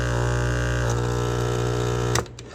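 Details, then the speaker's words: Aquarium air pump with its outlet holes plugged, before repair: a loud, harsh, steady low buzz that stops dead when unplugged, because worn rubber mounts let the metal armature slap the plastic housing. "I know exactly what it is and how to fix it, but watch if you plug up the holes. That's how loud it"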